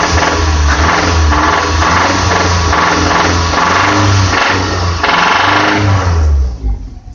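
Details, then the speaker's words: 2006 Toyota RAV4 oil-consuming 4-cylinder, oil light flickering in curves and under hard braking: hard metallic knock rising with throttle blips, also on lift-off at higher rpm; owner suspects severe piston slap, unconfirmed. "I'm really not loving that sounds like damage to me there's a good example though of what the hell's going on"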